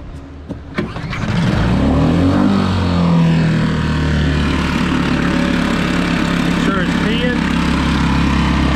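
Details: Mercury 4-stroke outboard that ran a second and then died, tested in water after carburetor replacement. The pull start catches after a couple of coughs, then settles into a smooth, even idle; fixed.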